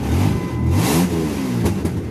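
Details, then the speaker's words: 1998 Dodge Ram running after the distributor was reinstalled in the correct firing order: a raspy, kazoo-like buzz that rises and falls with a quick rev and no stumbling, an exhaust leak rather than an engine fault. "She still sounds like a kazoo because I got to fix the exhaust, but"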